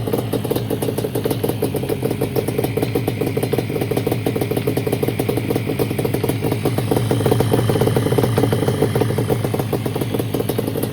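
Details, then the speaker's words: 1989 Yamaha Banshee two-stroke twin after new fuel line, refitted carburetors and fuel switch, temporary exhaust: rapid crackle tries to pick up, then sags and dies whenever throttle is given; new spark plugs didn't help; a faulty throttle override switch was the cause. "It kept dying every time I give it gas. I couldn't rev it out at all."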